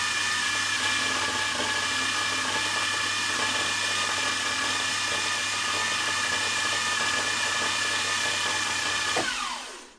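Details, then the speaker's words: Milling machine spindle in high gear at high speed, sounding fine in low gear: harsh, busy clatter like a bag of nails over a steady whine, then spins down; gearbox rattle, cause not identified. "I don't know what's wrong with the mill it sounds like a Bag of Nails in in the gearbox when it's uh in high gear and running fast"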